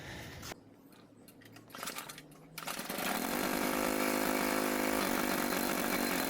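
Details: Troy-Bilt TB554 lawn edger just after drive belt replacement (35.75-inch belt): small engine fires at once and holds a steady, even buzzing run with no misses; runs normally.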